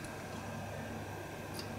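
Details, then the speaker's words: Xbox 360 Slim, Hitachi-LG DL10N DVD drive, disc loaded: faint repeated light clicking as the failed optical pickup's focus keeps hunting, ending in an open tray error; laser to be replaced. "This thing's clicking. Yeah, it's clicking like a good one."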